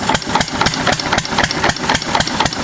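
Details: 6 HP Witte diesel-electric engine, about 80 years old, water-cooled, running after valve work, oil change and fuel cleaning following ~30 idle years: crisp, even beats about four a second, no stray clatter; starts easy, healthy idle.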